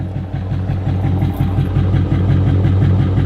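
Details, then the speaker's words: 2014 Subaru Forester engine at idle: a rough, lumpy idle with a steady clacking tick about three per second from the front of the engine while the rear sounds fine; at least hydraulic lifter problems are suspected, not confirmed. "Now they make a lot of noise, but you can hear that clacking. That's not normal."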